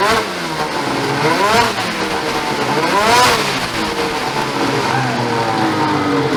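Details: Ski-Doo 850 turbo-modded snowmobile two-stroke after a failed reed was replaced. Crisp revs sweep up and down cleanly with no stumble, pop or misfire; running healthy.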